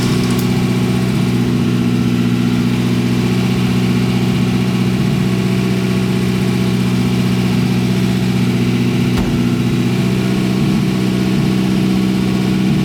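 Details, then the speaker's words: Porsche 924 Turbo that runs poorly and has an open exhaust: a steady but uneven, lumpy idle with an occasional stumble; owner suspects bad fuel or a vacuum leak, cause unconfirmed. "why this is running so poorly let me start it up i'm gonna do a compression test on in a second but i'm gonna start this up and show you how badly it's running"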